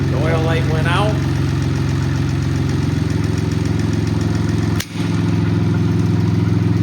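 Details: Cub Cadet Cyclops lawn tractor small diesel just after start-up, following lift lever install, rock shaft greasing and an oil check. Even, steady idle chug with no knocks, misses or rattles; normal healthy running.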